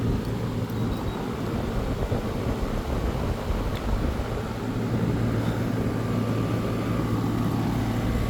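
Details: AC condensing unit running normally after a bad dual run capacitor was replaced (universal Turbo 2000) on a no-cooling call: steady, even hum and constant low drone, no rattles, knocks or squeals. Compressor draws about 10 A, condenser fan about 1 A; suction pipe is cold.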